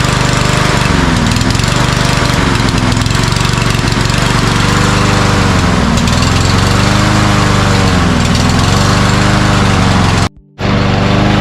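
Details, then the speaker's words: Cub Cadet self-propelled walk-behind mower with primer bulb, primed three times: it runs roughly, hunting and cutting out once the prime is used. Fuel starvation is suspected, likely a clogged pilot jet or emulsion tube; the carburetor is to be cleaned. "Seems to me once you lose the prime, you know, you get gas into the chamber, it's dying. So it's more like a fuel problem, I think."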